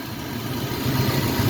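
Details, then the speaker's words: Truck engine at idle, belt system with power steering pump, idler pulley and alternator: low, rough growl running steadily underneath, no knock; alternator bearing growl. "So I don't know how well you can hear it in the video, but it does sound like there's a growling noise."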